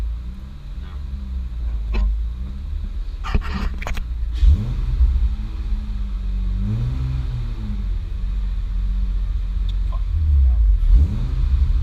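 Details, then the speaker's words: Modified 2006 Honda Accord J30 on the dyno, nitrous not in use after it sprayed at key-on: revs swell and sag repeatedly and won't settle. The engine is surging; a corrupted tune or a vacuum leak is suspected. "Just pull the thing off. 'Cause it's just gonna keep surging like that. It won't stop."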